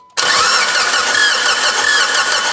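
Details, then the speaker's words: Mitsubishi Evo 8 restoration first start attempt: steady starter churning with even compression beats, never fires; fuel pressure present but no spark, coil fuse blown (7.5 A fitted where 10 A specified). "all right no sparkies so let going check the fuse for the coils"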